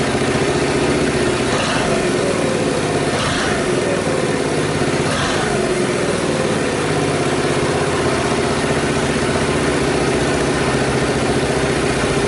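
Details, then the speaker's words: Reassembled Honda Super Cub single-cylinder engine at idle after earlier cam-chain tensioner work that had produced strange noises: even, steady putter with no ticking or chain rattle; engine sounds healthy. "Not really, I don't hear any strange noises here either."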